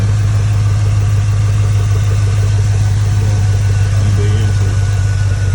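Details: 2002 Chevy Tahoe 5.3 V8 just after installing a cheap eBay cold air intake: deep, steady burble at idle with an even beat and no misses, knocks or ticks; sounds much better with the intake. Normal idle.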